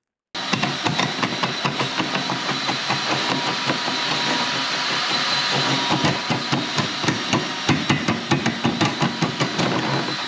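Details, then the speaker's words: Spartan drain-cleaning machine running its cable into a slow sewage drain; steady drone with sharp, fairly regular metallic taps as the cable hits the pipe on the left side, having gone into the wrong branch, to be pulled back and redirected right. "Now, it doesn't come across very well on the camera, but I could hear the cable tapping on the left-hand side. So the cable's gone in and gone the wrong way."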